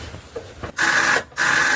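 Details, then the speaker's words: Golf cart with Predator 420 engine, cranked on full choke after sitting outside for months: two short, strained starter whirs and no firing, the small onboard battery very dead; weak cranking from dead battery. "as you can hear, that little battery in there is very dead. So I'm gonna have to hook up this car battery I've got here to get it to crank."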